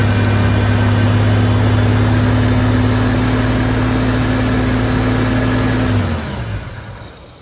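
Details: 1986.5 Toyota Supra MK3 with a freshly swapped 2JZ-GTE VVTi on an EMU Black ECU, after fixing crank and cam VR sensor polarity. It catches and drones about six seconds, then winds down and dies. Injectors and idle are not yet tuned.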